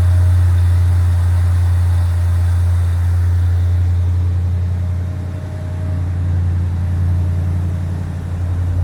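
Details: 1965 Chevrolet Impala convertible (SS clone) with new Chevrolet 350 crate V8 and Muncie 4-speed, cold start with choke set: deep, even V8 burble holding a steady low idle, slight dip and recovery on the choke; normal healthy cold-start idle.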